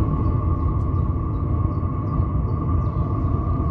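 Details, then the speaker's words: Diesel heater in a Ford Transit camper van at startup, drawing fuel through a filter from under the van: loud steady low roar with constant fan hum, no misfire or surging; hot and working, calms somewhat once up to temperature. Normal combustion. "Starting to really go now. Can you hear how loud this is? It is hot, it is working, and once it gets up to temperature, it does calm down a little bit."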